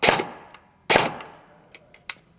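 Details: Airsoft Specna Arms Edge 2.0 AEG with pre-installed Gate Aster MOSFET, test-fired on semi after programming: two sharp single shots about a second apart, each crisp with quiet between; gearbox cycling cleanly on semi-auto.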